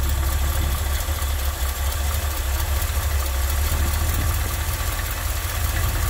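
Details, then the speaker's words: Carbureted Ford F-100 in Park, about 12 inches of vacuum, idle screw being lowered by ear: deep, steady, relaxed low rumble without stumbling; exhaust smells of fuel, running too rich, mixture screw next. "I don't have an actual RPM gate so we're doing it by ear you can hear where it sounds where it's where it sounds a little more relaxed"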